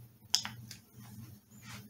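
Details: Toyota/Lexus automatic transmission shift solenoid bench-tested with bulb in series: crisp light clicks in quick succession as power is applied, valve snapping cleanly; bulb dim as expected, solenoid passes and is in good condition.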